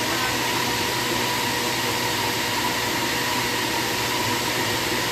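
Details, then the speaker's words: Ceiling-suspended air conditioner indoor unit after repair of abnormal noise: smooth steady airy hum with no knocks, rattles or squeals; now quiet, normal running. "โอเคนะครับไม่มีเสียงแล้วนะครับเงียบนะ"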